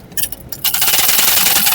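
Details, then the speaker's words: Sewing machine running with a harsh, rapid rasping rattle, excessive running noise; loose shuttle/hook assembly with play. "ये आवाज कहां से आती है और इस आवाज को किस तरह से खत्म करना है किस तरह से बंद करना है मैं आपको बताता हूं।"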